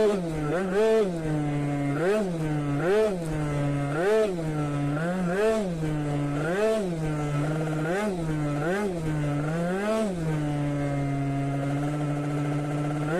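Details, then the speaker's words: Two-stroke scooter at full throttle: surges and drops roughly every second, a repeated bogging stutter; too much fuel, rich mixture. "Var dzirdēt, kad pilnā ručkā viņš raustās. Attiecīgi, jā, pa daudz degvielas."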